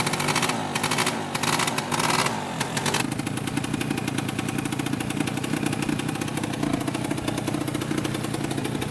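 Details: 2003 Polaris Sportsman 90cc two-stroke ATV on its first ride after a new top end, oil pump and wheel alignment fix. Steady buzz with clean, even blips and no misfire or knock while ridden; owner says it runs really good.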